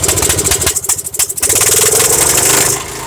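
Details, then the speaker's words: MTD Yard Machines Yard Bug 9hp riding mower that sat uncovered outdoors, small single-cylinder started on choke: pulsing, hunting unevenly then running fairly smoothly; the carburetor butterfly jumps from leftover dirt in the carburetor. "as you saw the butterfly on the carburetor is jumping and that shows that there's still some dirt in that carburetor but it's running fairly smooth"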